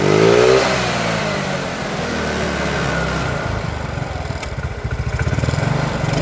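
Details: Old Yamaha Mio with new carburetor fitted with size 38, after fixing stalling: small single revs cleanly through the range without breakup, settles to an even beat; throttle slightly heavy but full throttle fine; normal running.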